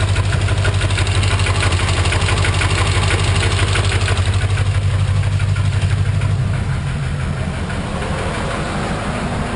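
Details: 1991 Corvette L98 V8: deep idle with a dull, regular knock about twice a second that continues as the idle settles; owner suspects rod knock.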